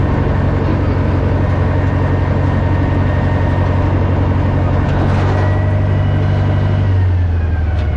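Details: Old Caterpillar 955L track loader, long unused, after topping up transmission and another reservoir, possibly the final drive, working: deep, steady diesel drone with even low firing, no knocks or rattles, note drops smoothly near end; healthy.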